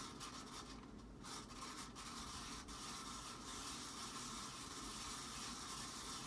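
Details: Casablanca Panama ceiling fan dated 5/25/1993, rescued from scrap and rusty, likely from being left in the rain: a steady dry gritty scraping at top speed. Terrible worn bearings are dragging, so the fan locks up or struggles at low speeds.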